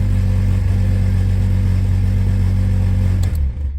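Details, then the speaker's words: 1997 Jeep Cherokee XJ with very high mileage, first day after purchase: very loud, raw low engine drone with a harsh unmuffled bark because there is no exhaust at all, which needs fixing right away. "What is a big deal is this. Listen to this. Yeah, no exhaust whatsoever."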